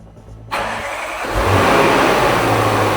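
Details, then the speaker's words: 5-litre V8 in a wrecked Range Rover, leaking radiator temporarily bypassed with a coolant pipe from another 5-litre engine, started as a pre-removal check: quick crank, then a strong even idle with no knocks or misfires; no warning lights. "Oh, nice. Sounds good. Sounds good, doesn't it?"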